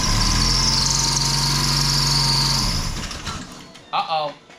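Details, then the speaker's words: 2016 Ford Mustang EcoBoost from wrecked parts car, run on temporary batteries; catches with high whistle over drone, dies within three seconds; likely pan sucked dry, shut off on lost oil pressure; not locked up. "That was probably no oil, but it ran. Alright, it's not locked up. Sounds good. It probably sucked everything out of the pan, and that's why it did that, and I think it shut itself off once it lost oil pressure."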